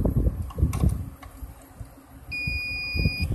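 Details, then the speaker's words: Rooftop HVAC unit that lost power: meter continuity check on the fuses gives a clean steady beep about a second long; all fuses are good. "good, all fuses are good."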